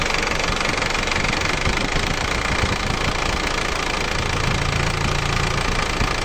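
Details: Isuzu Elf diesel after replacing two cylinder liners without removing the engine: steady idle with even, fairly smooth clatter about four beats a second, smoother than before; runs healthy.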